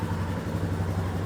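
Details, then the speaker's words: Royal Enfield Himalayan single after rebuild with new Hitchcock valves, replacement camshaft and shimmed oil pump drive chain: steady low thumping idle, even beat, no tapping or rattle; normal idle, rattling gone. "now all the people that say Himalayas and Royal enfields they all rattle no they don't this one don't"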